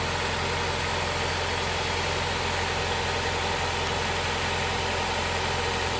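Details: Honda Prelude SH after oil cooler/adapter gasket replacement, oil filter refitted, started to check for leaks: even, steady idle with smooth low hum, no knocks or misses; no leak seen after about ten minutes.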